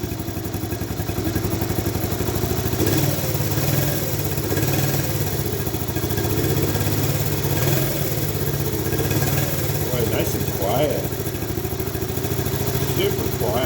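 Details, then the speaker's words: Honda ATC70 after rebuild, first start still cold on a remote fuel reservoir and CT70 coil: quiet even single-cylinder putter, no cam chain clatter or knocks; carburetor still needs slight adjustment; normal cold idle. "still cold but that's good let it go so what i got to do now is of course you know there's a little adjustment in the carburetor that sort of thing but it's so quiet it sounds so good cam chain all that stuff"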